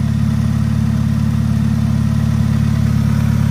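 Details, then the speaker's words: Car idling, heard from the engine compartment: loud, deep chuffing with a steady puff about three times a second from a hole in the exhaust, probably at the front. "but you hear how loud it is we've got a hole in the exhaust somewhere it could be in the front"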